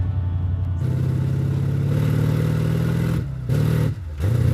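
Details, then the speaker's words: 1960 Chevrolet El Camino on its first road test in 30 years, engine running well: a deep drone climbs steadily under load, then revs dip briefly as the automatic upshifts into second gear and the pull resumes; the shifting is improving. "Second gear. Second gear. There's second gear. It shifted. It's getting better."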